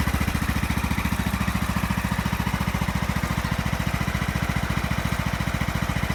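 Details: Craftsman YS4500 lawn tractor with a 20hp Briggs & Stratton Intek OHV engine that had burned oil: after a head gasket replacement, new oil and oil filter, fuel filter and a tune-up, it fires with crisp, regular pulses at about 3.5 per second, no skips or knocks. The oil burning appears fixed; normal running.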